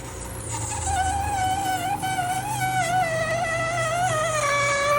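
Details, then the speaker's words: GE Profile ice machine while making ice: a loud, wavering squeal over a low motor hum as the auger struggles to push ice up. The later fix was a clogged water hose starving the evaporator. "What is going on? It's like the ice is struggling to come up out of there, making some type of god-awful squealing sound."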